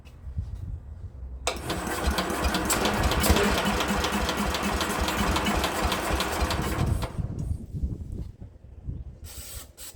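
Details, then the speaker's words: Speedex model 1630 garden tractor, single-cylinder engine (likely not original) with belt starter, after fitting a new carburetor: catches after a few tries and settles into a steady quick putter; runs. "That's what I'm talking about. Ooh. Ooh. Ooh. She runs, guys. She runs. We finally got her to run."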